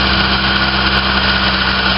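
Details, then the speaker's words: 1990 Toyota Tercel, 3E 1.5 engine, after a head gasket job: fast, even high idle with a steady hum and hiss of air through the throttle-body idle control port; the electronic idle air valve isn't limiting air, possibly stuck or dirty. "the valve is supposed to actually be limiting the amount of air with the idle speed we're supposed to be getting but it isn't doing it for some reason it's stuck or maybe it's got some crap in it I don't know"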